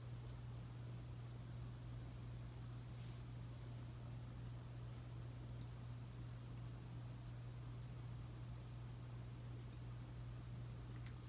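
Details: Casablanca S3 ceiling fan (2002, 188x20 mm motor) with new capacitor, Versa-Touch 1B set to medium: very quiet steady low motor hum under faint air rush, no clicks or wobble; normal running.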